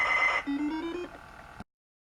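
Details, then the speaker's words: ZX Spectrum +2A tape drive after replacing the tape belt and applying white lithium grease, case reassembled: steady high pilot tone then a lower wavering data tone that cuts off; cassette loads the game properly. "well there we go so that cassette works now for that game"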